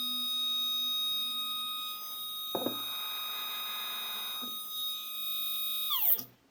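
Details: Two Z-axis steppers wired in parallel on one Duet driver, current raised for two motors, acceleration 120: a steady high whine with rough bursts, pitch falling as it stops. Motors are stalling and shaking, cause unknown.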